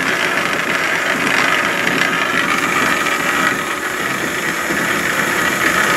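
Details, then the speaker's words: Antique wood lathe under restoration, running on its old motor: a steady, even motor whir with a light airy hiss and no knocks, rattles or speed hunting. It runs pretty smooth and quiet. "I'll turn this on do you anybody wants to listen to it run? Nice pretty smooth quiet"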